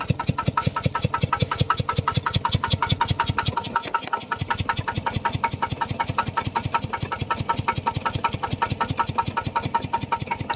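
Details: Steady, even beat near 107 strokes a minute with a clean metallic tick each stroke, no knocking or rattle, from a piston water pump after greasing and oiling its crankshaft set, which had been knocking loudly; running smoothly.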